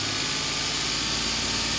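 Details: 2006 Suzuki Vitara engine held at raised rpm during MAF and MAP sensor testing: even steady engine note under a lot of hiss, no knocks or misses; normal steady raised rpm.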